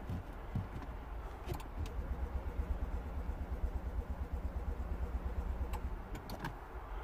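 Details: 2009 Smart Fortwo 451 1.0 L petrol, 71 hp, crank no start: slow, even cranking thumps about three per second that never fire; diagnosed as low compression, not yet fixed.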